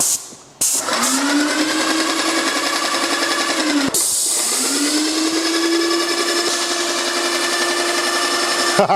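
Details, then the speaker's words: Airless Max Blast paint sprayer priming with unthinned paint before reaching the gun: pump drones steadily, sags then slowly climbs back; labouring near stall on thick paint. "The paint has got into the machine, and now we're just waiting for it to come to the gun. Sounds like it's going to stall in a minute, Rich."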